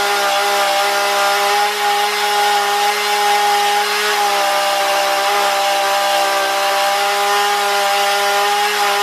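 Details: Husqvarna 235e/240 chainsaw, warmed up, carburetor tuned by ear without tachometer: steady high-pitched note holding under cutting load with slight burble left in the exhaust; well-tuned, normal cutting.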